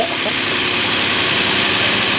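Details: Car just repaired, first start with an empty fuel rail after replacing a failed solenoid (cam phaser first suspected): steady, even idle with a constant hiss, no knocks, misses or hunting; running smoothly.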